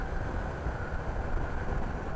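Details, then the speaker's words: BMW F900XR on the road at low speed, heard while riding: low twin rumble with a steady, thin metallic ringing on top; the rider says the engine resonates in the helmet in town, unlike the F900R, cause unknown. "Ouais, on dirait que ça résonne. On dirait qu'il y a une chambre de résonance dans le moteur. Ce qui fait que en ville, quand tu roules doucement, le bruit te résonne dans le casque."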